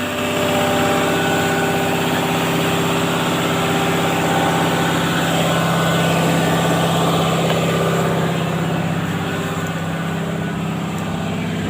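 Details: Caterpillar 320D excavator, C6.4 diesel, after injector replacement for hard starting: smooth, even idle with steady low hum and regular firing, no stumble or knock; engine runs healthy.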